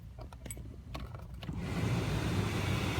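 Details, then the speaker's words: 2006 Jeep Commander blower motor, which previously roared on high, after cleaning leaves and pecan blooms from the squirrel-cage fan, glove box and trim removed: light clicks then smooth steady air rush, no rattle or motor noise; normal blower operation. "that sounds much much better now you really hear is the air moving out of the vents you don't hear the motor"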